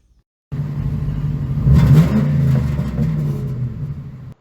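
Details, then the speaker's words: 1999 Ford Mustang GT V8, with the old Flowmaster cat-back mufflers: revs blip and settle with a loose, uneven metallic rattle under the exhaust rumble, like metal bouncing around inside. Broken muffler internal rattle. "It seemed that after a little bit, it kind of sounded like metal was kind of just bouncing around in the exhaust, and it didn't sound very good."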